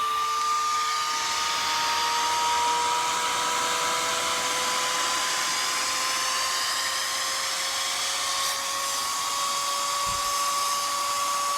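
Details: Dell Optiplex GX280 CPU fan roars at full speed, loud whining like a hair dryer creeping upward, with no display; persists with only the power supply attached to the motherboard.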